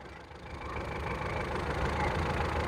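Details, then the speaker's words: Ford Figo petrol that was stalling, after code clearing: even, steady idle with a smooth low rumble, no check light, rpm now steady where it fluctuated before; normal idle. "अभी इसे Ford Figo वहां petrol था। संस्करण। इस में कोई check light नहीं जल रही है या अन्य रोशनी क्रमांक आरपीएम-ओ अब सब ठीक है।"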